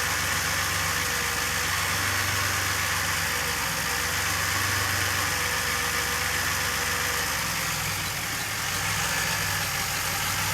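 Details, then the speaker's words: Stock DeLorean engine (VIN 10719) on a freezing cold start with some throttle held: a high cold idle easing down and evening out with a slight dip; water vapour from the exhaust, cold-start issue still undiagnosed. "so you can see it does settle back down but still a little bit of uh water Vaper coming from the back"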